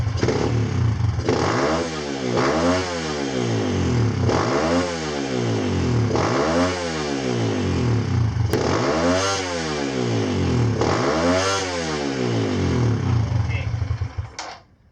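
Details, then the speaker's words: Kawasaki KLX140 with newly installed KX65 carburetor, first test, airbox lid off: single cylinder blips up and falls back about every 1.5 s, revving well only with choke pulled; rider suspects not enough fuel (lean). "so when I pull the choke out it revs so that means that means we're getting we're not getting enough fuel I think"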